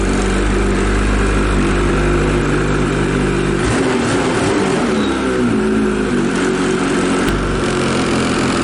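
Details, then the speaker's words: 2022 Ski-Doo MXZ XRS two-stroke snowmobile, cold start warm-up at about 57 degrees: even, steady burble at about 1,300 rpm, no misses or knocks; normal cold start idle. "Alright guys, I don't know if you can hear this, but we idle at about 1300 during warm-up."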